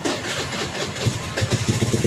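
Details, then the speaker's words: Carbureted Honda Beat scooter that would not start although the battery and lights worked. After the wiring was checked (a loose connection is suspected), a short starter whir leads to an even, quick idle: normal start and idle. "Nah, kan motor normal."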